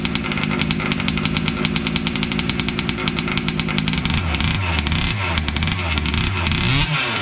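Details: Losi 5T 2.0 gas two-stroke RC truck on VP fuel after about four to six months stored, primed and choked, started on the workbench up on tires: a loud, buzzy note holding steady revs, dropping and picking back up cleanly; normal two-stroke running.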